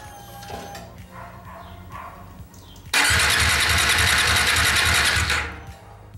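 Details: New Bajaj Dominar 400 brought in as a no-start, cranking during basic diagnosis: starter whirs in an even rhythm for seconds but engine never catches; crank-no-start, spark plug barely wet, fuel supply suspected.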